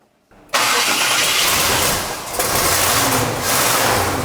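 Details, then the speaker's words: Snoop Dogg's car after the broken starter motor was fixed (snapped off when the steering arm hit it): brief crank, then fires promptly to a steady, slightly uneven idle; starting issue rectified. "There we go, so our starting issue has now been rectified, which means the lovely man behind you can actually move this around his workshop."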